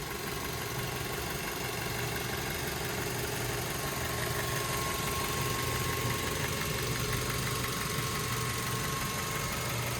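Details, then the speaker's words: 2009 Mazda 3i idling in very cold weather, engine bay uncleaned, heard in the engine compartment: steady, even idle with only a soft regular valvetrain tick and no odd noises; smooth-running, healthy engine. "As you can tell, smooth running engine, no odd noises or anything like that."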